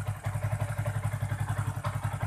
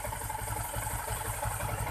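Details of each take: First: Yamaha Jupiter MX King 150cc with rough engine noise, after engine and radiator work, engine warmed up: even single-cylinder idle thump, then a steady rushing whoosh cuts in and holds as the radiator cooling fan switches on and runs normally. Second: Yamaha Jupiter MX King 150 idling after engine work: low, rough pulsing rumble that smooths when the clutch lever is pulled; likely hardened clutch rubber dampers leaving no cushioning, rough mechanical noise.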